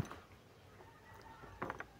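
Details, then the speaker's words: AC compressor clutch pulley on a noisy-aircon Suzuki, hand-spun: rough feel and a few sharp clicks as the worn bearing catches, confirming a failed bearing. "Parang may sumasabit siya na bato. Yan. Ayun. Ngayon confirm sira yung bearing."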